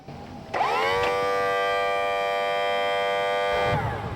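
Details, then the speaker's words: Used outboard trim and tilt pump on the clamp bracket, trimming the engine during pre-purchase inspection: steady electric whine rises, holds smooth and consistent about three seconds, winds down; trim pump healthy. "What we're listening for is a steady, consistent sound. This one sounds good."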